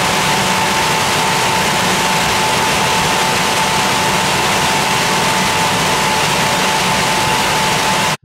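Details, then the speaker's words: Air handling unit blower still emits a faint steady high-pitched whistle over airflow after cleaning the intake grille and dirty filter, tensioning the belt and aligning motor and fan pulleys; the fan bearing remains a suspect. "comme on peut le constater on entend encore un léger bruit aigu"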